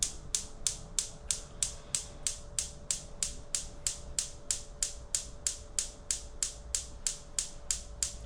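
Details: Gas hob burner lighting attempt: regular igniter clicking about three a second, no whoosh of flame; gas not reaching the burner; no gas supply.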